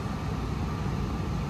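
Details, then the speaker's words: Gas furnace calling for heat with house at 45 degrees and set point 70: burner roar stops while the blower keeps rushing air, likely blowing cold; flame drops out with blower still running, flame sensor suspected. "can no longer hear the Flames going the fans are still going it's blowing probably cold air right now"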